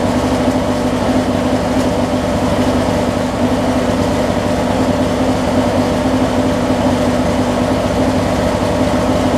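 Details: Craftsman opposed-twin riding mower just started after new ignition switch install: steady, even low drone with no knocks or misses, running smoothly at constant speed.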